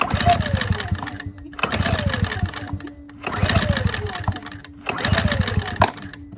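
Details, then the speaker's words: Ryobi RYi2322 inverter generator, about 0.1 hours, after reconnecting spark plug boot, with starting fluid: four recoil pulls, brief chugging turnover fading without catching; hard starting, about to fire. "Let's see now. With a little more starting fluid, because it should at least pop off with this."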